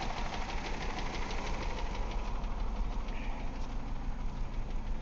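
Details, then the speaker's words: 1999 Ford Escort ZX2, 2.0L Zetec DOHC, cylinder two at 25 psi compression, worse after the compression test: rough, uneven idle with a pronounced miss, a repeated light tap that grows louder in gear, and heavy blow-by. Suspected bottom-end wear. "Very pronounced miss. A lot of blow-by, which is leading me to believe we've got lower end issues."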